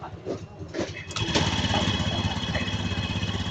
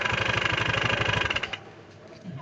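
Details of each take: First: Honda Scoopy-i scooter just after a drive belt replacement, pulley nut refitted: engine starts and settles into a steady even putter with no knocking or grinding. The earlier loud noise first thought to be a connecting rod or crankshaft failure was not that. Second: Honda Scoopy-i kick-started after drive belt replacement: fast regular knocking about twelve a second over idle until shutdown, sounds like broken conrod.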